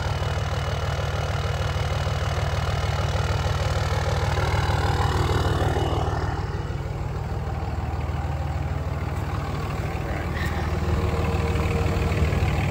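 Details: 2003 Dodge Ram 2500 5.9 Cummins diesel, about 20 years old with high mileage, lately some soot on the bumper when driven: steady low idle clatter about three beats a second, no misses or stray knocks, no abnormal smoke at idle; healthy.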